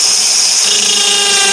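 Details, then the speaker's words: Drill gripped only by the end of the bit in the chuck to reach full depth, drilling through a bark window: loud, high whine with a rough, wavering edge; the bit chatters from the shallow chuck grip. "And sorry, the drill's making that noise because I've just literally gripped onto the end of the drill bit to get that full depth. Okay, that's why it's making that kind of chattering noise."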